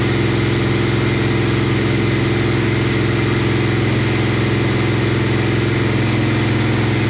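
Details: 1957 Chevy Bel Air, probably out of adjustment, held at about 2800 rpm: pulses unevenly about twice a second, surging and sagging instead of holding steady; stumbles at fixed throttle, cause not confirmed.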